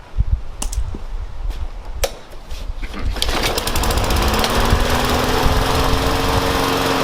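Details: Yard Machines mower, Briggs & Stratton engine, restarted after a fix, with the air cleaner blown off and reinstalled. After some clicks it catches at about 3 s and settles into a steady, even run with a clean tone.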